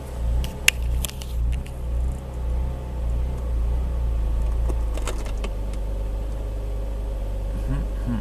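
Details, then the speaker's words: BMW Z4 petrol engine just restarted after replacing upstream bank 1 O2 sensor: low hum swelling and sagging unevenly before briefly steadying, the same idle hunting and surging as before; codes not yet cleared. "that idle hunting and surging is kind of what it's been doing so we'll see if it figures itself out"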